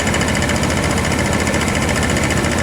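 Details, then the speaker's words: Fast, even ticking of the A/C compressor over the running engine right after the AC repair, a tad louder than hoped but steady; refrigerant still leaking slightly; normal compressor operation. "It's probably a tad bit louder than I would have liked, but I mean, that's perfectly perfectly normal"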